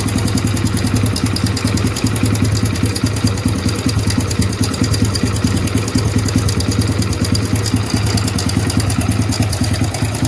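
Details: Hero Splendor BS6 motorcycle, 2023 model, idling: loud, busy clatter and rapid ticking over the exhaust thump from the timing chain; long unserviced, almost no engine oil drained.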